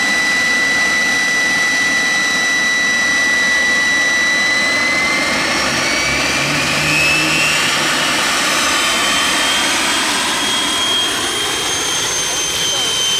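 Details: Jet turbine truck, first start-up after winter, after cleaning a dirt-clogged fuel filter and adjusting the fuel pump: steady high whine with clean sweeping tones drifting slightly, spooling smoothly without surging; normal turbine run.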